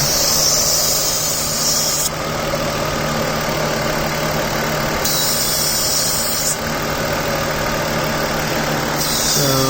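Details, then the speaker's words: 2004 Mazda6 V6 running lean, at idle; steady high airy hiss over smooth idle, cutting in and out every few seconds; suspected vacuum leak, unconfirmed. "it could be a vacuum leak i don't know if you hear that but i think i found the vacuum"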